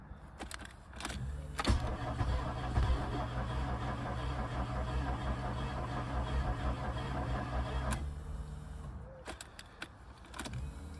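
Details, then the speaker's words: VW Golf Mk2 GTI 16v left untouched for about six weeks, fresh battery fitted, unknown fuel level and fuel gauge reading empty; steady starter cranking about two turns a second with a few catches but never runs, cranks but won't start. "Okay, it's turning over at least. No clue if there's any fuel in it or not. No reading on the fuel gauge. Oh. Actually sounds like it's trying to start."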